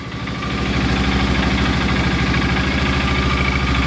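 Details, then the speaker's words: Polaris Ranger 6x6 single-cylinder: steady idle with slightly uneven, lean, lumpy thump, no knocks; carb needs tweaking, and separately a chipmunk-chewed belt wrapped on the clutch needs replacing. "tweak the carb [Music] and she's running out of gas so yeah one more easy fix just tweak the carb get a new belt and this bad boy will be ready to go"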